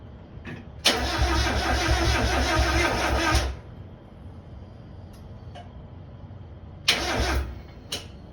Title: Miata crank, no start turns into no crank, no start